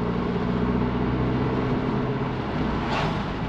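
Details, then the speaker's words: Audi TT Mk2 8J TFSI modified project, first drive after upgrades: steady low exhaust drone under road noise while cruising, little steering vibration, turbo heard kicking in; still needs remap. "yeah I I can hear a bit of drowning from the"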